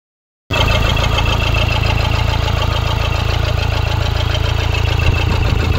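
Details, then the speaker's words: 2013 Toyota Hilux 1KD diesel, 171 hp, after the faulty number 4 injector was replaced with a new original one: steady idle with even clatter at about four beats per second and no misses. "quando eu desligo ligo o carro mas os primeiros 20 minutos meia hora que funcionou tava normal"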